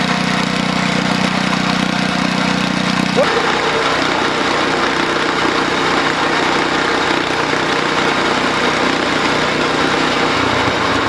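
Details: DR RapidFire PRO-XL log splitter, just back from the shop, engine at full throttle after splitting dried cottonwood: steady drone turning loud, raw and blatty partway through as the muffler breaks open; muffler failed within 30 minutes.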